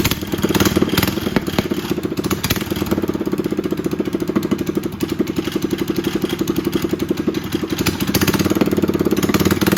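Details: Predator 212cc engine after Stage 1 kit install (breather, header exhaust, performance air filter): steady fast regular single-cylinder thump with no misfires or rattles; healthy.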